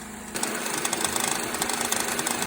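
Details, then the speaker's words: 2005-2008 Ford Escape/Mazda Tribute 2.3L Duratec, warm idle with the AC on: fast ticking and rattling from a worn belt tensioner bouncing in sync with the noise; replacing the tensioner eliminated it. "All right, I let it warm up, and I'm starting to hear what she's talking about. I do hear the ticking sound."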